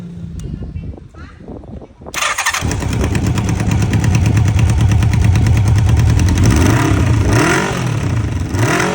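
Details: 1995 Honda CB750 Nighthawk engine fires after short crank and settles into lumpy, uneven idle with a rough beat; abnormal engine sound, cause unknown.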